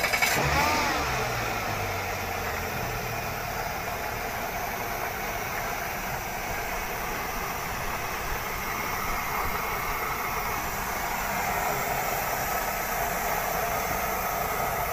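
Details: Outboard boat motor after new fiberglass fuel tank installed without washing: ragged idle stumbling about four times a second, won't take throttle cleanly; fiberglass dust contaminating the fuel.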